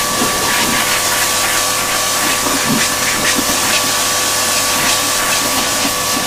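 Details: Karcher K7.20 pressure washer that hummed but would not start, tested after repair: loud steady spray hiss over an even motor-pump hum that holds without bogging or cutting out; the washer runs healthy.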